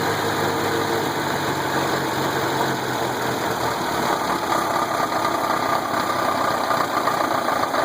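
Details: Volkswagen engine with rough noisy idle and a dull knock buried in the clatter, no clear steady beat; owner suspects rod knock, unconfirmed.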